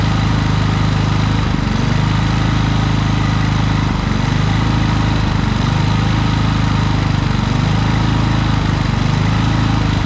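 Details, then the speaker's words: Harbor Freight Predator generator, many hours, surging after running out of gas; carburetor tightened, air filter shroud off; steady drone dipping every couple of seconds as governor hunts, surging caused by a misadjusted idle stop screw. "so all right so you see she still ain't running right"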